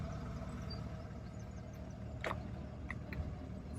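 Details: High-mileage auction car at 448,835 miles: engine settles into an even, steady low idle with no knocks or misses, and the owner says it sounds sweet; it starts and runs healthy.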